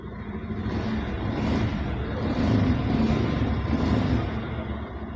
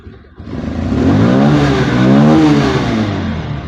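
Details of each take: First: Bajaj Pulsar 150 BS6 with an idle-off and low-pickup complaint, after MAP sensor fixed (now reading about 14–15 inHg on scanner): revs rise briefly with throttle, then settle to a steady, even idle without hunting or stalling. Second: Bajaj Pulsar 150 BS6 fuel-injected single, idles off and lacks pickup: blipped once, revs rise then sag; scanner shows intake manifold absolute pressure stuck at zero even when running and revved, so MAP sensor not working.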